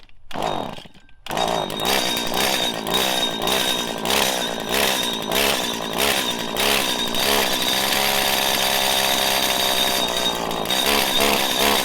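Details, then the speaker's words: 1997 Stihl Pro Series FS two-stroke trimmer: buzzes at high revs but surges and hesitates climbing into its power band; when head speed drops under thick load it lacks power to recover; lean, mistuned carburetor, unusually cold-natured despite long use. "when the the head speed slows down the motor slows down it ain't got the oomph to to push itself back up into the power band"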